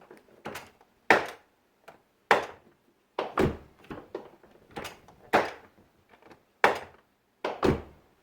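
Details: Driver's door on a 2001 Chevy Silverado opened and closed: sharp clunk and rattle about once a second at each swing, door check rubber boot missing and part bouncing in the jamb; worn door check needing replacement.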